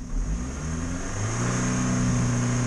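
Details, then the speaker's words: Ford engine won't rev past about 4000 rpm: revs climb under throttle, then flatten and hang; diagnostics flagged the accelerator pedal, but the air filter was found clogged. "всё всё всё видите не идёт ещё раз всё не идёт до четырёх идёт и всё"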